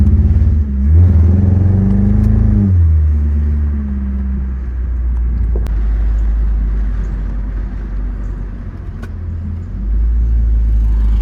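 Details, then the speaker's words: 2004 Mitsubishi Eclipse GS 2.4 with cylinder 2 misfire: low rumble swells as throttle opens, then sags and stumbles, still bogging down under acceleration; cause not pinned down, coil packs suspected. "still bogging down a little bit if you can hear it. Hear it bogging down."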